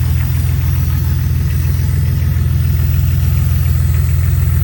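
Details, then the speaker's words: 2000 Jeep Cherokee XJ 4.0L straight six after replacing the ignition coil with an MSD coil: deep, steady idle with an even low pulse and no misses; it now idles lower than it used to and throws no engine codes. "Nope. It's actually idling a little lower. She used to idle a lot higher than this."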